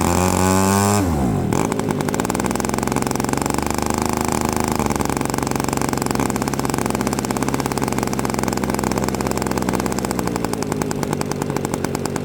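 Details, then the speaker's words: Quadra 50 two-stroke gas engine in a Byron Christen Eagle RC plane, first start with an electric starter after 25–30 years sitting: starter whine, then a fast, steady buzzing run, slightly rich on the high end; normal running. "All right, she sounds pretty good. Just a hair. uh rich on the high end, but not too shabby."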